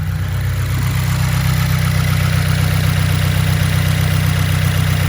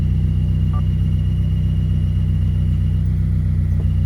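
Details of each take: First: 2015+ Subaru WRX, after fixing the idle chirp that occurred with the clutch pedal released; smooth, steady low idle with clutch in and out, even rumble and no chirp or squeak; normal idle. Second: 2015+ Subaru WRX at idle with the clutch pedal out: a faint, quick repeating chirp that stops when the clutch is pressed slightly or the clutch release fork is moved by hand, traced to the release fork.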